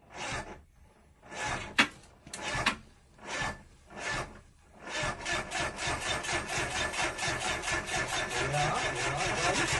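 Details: AMR500 first start attempt: slow uneven churning bursts then long run of faster steady cranking that never clearly fires; extended cranking, hard start.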